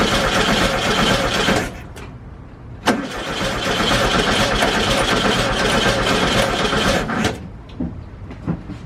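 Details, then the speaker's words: VW Bus first start on starter fluid, battery fitted, oil at full: starter churns, engine fires briefly on the fluid then dies back to cranking; no gas smell at carburetor, fuel leak found underneath. Fuel starvation. "You saw it started up and ran for a second. I didn't smell any gas coming from like the carburetor."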